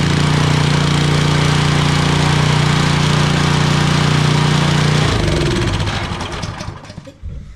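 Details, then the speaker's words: DeWalt 3400 psi pressure washer engine, started with choke on: runs evenly about five seconds, then breaks up and coasts to a stop; oil found barely there, owner suspects low-oil level sensor shutting it off. "oil L oil level sensor I just broke my own rule I didn't check the oil first that's probably what it is"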